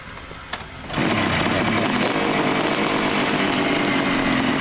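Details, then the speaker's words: 1971 Kawasaki H1A 500, rebuilt with new Wiseco pistons, 7,500 miles since rebuild, started up: raspy busy idle with light metallic rattle, piston rattle typical of new Wiseco pistons. "Rattling sound that you hear is Weisco pistons. They rattle when they're new."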